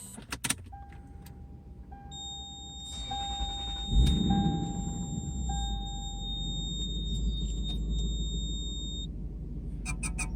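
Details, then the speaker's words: Lexus GS400 4.0 V8, 238,000 miles, at idle: steady high warning chime for several seconds; e-brake light on although the e-brake is off; ABS and check-engine lights also on. "pretty sure that's the ebrake light and the e brakes not on"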